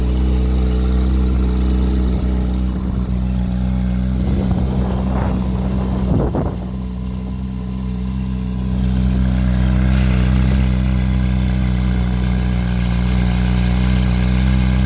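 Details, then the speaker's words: 2011 Ferrari 458 Italia V8 at pre-purchase inspection, engine cover open: smooth, even idle with steady low hum and no misses or knocks; engine running very smooth. "I don't think a video is going to do this justice. You really need to hear it in person. Engine is running very smooth."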